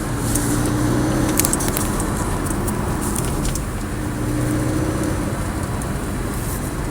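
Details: Porsche 718 Cayman S: metallic buzz under low load or acceleration about 1000-2000 rpm over a low steady engine drone, in two one-second spells, stops on lifting off throttle, louder with sports exhaust; cause not identified.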